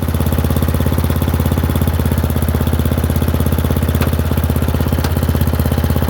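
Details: Murray Select 30" riding mower mowing on a slight incline with unsharpened blades: steady single-cylinder thump about two hundred beats a minute, holding even under cutting load; engine runs fine and cuts decently.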